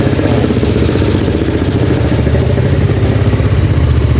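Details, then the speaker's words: Yamaha Nouvo carbureted scooter with hard morning starting: a loud, clattery single-cylinder beat with some stumbling that hangs high and only slowly drops back to idle after throttle release, as if running lean; mechanic plans to swap the needle jet. "tapi kalau kita gas turunnya dia lambat ya turunnya lambat dia ya jadi seperti keiritan"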